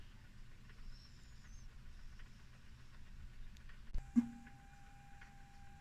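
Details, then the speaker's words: ZX Spectrum +2 cassette drive after repair: quiet hiss, then clean steady mid-pitched pilot tone about four seconds in as the machine loads; normal tape loading tones, works perfectly. "and there we are we've got the machine loading now and it's just comes straight from The Horizon State"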